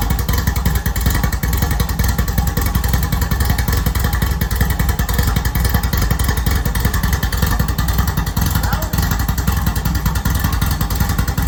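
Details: Rally VW Beetle with freshly installed 1776cc air-cooled flat-four, upgraded from a single-port to a dual-port setup, first start in neutral: loud, even rumble with a steady beat and no knocks or rattles on top; the fresh engine runs cleanly.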